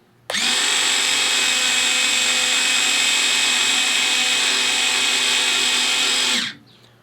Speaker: So you can see that worked very well. That's the speed that in which they normally would run.